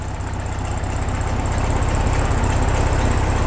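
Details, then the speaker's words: 1967 VW Bug air-cooled flat-four after oil-leak repair with engine gasket set and belt re-tensioned: even, steady idle putter with smooth regular beat, no ticks, knocks or belt squeal; sounds good and quiet; normal idle. "Sounds good. Quiet."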